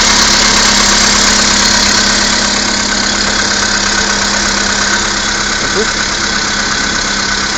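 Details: Skoda Fabia II, 1.6 CFNA engine, about 22,000 km, cold start at −16 °C: the idle carries a steady, fairly regular tapping at about three per second over a harsh hiss. The knock is unexplained.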